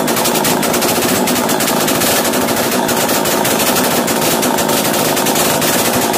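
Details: Chainsaw started after carburettor screw adjustment: high steady buzz never settling to a slow idle; racing too high, fixed by turning the top idle screw to slow it.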